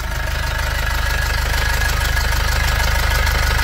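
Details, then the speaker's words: Nissan Xterra 2005 with MWM Sprinter diesel idling, crackly metallic rattle riding each firing pulse about twice a second from a loose turbocharger heat shield; heat shield rattle. "segura tira a mão segura tira a mão segura pronto perceberam o barulho aqui no escudo térmico da turbina aqui ó"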